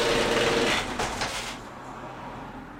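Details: Genie screw-drive garage door opener, 32+ years old: regular tick about four per second over the motor drone from roughly halfway through opening travel, absent when closing; owner suspects worn or stripped carriage gear, track or screw, unconfirmed.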